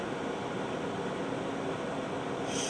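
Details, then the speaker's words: Cipher front-loading 9-track reel-to-reel tape drive: steady whir of reels and blower brightening to a sharper hiss as tape takes up; loads normally, spindle bearing slightly iffy. "And there we go, loaded, and good, we can go online. So we're all good."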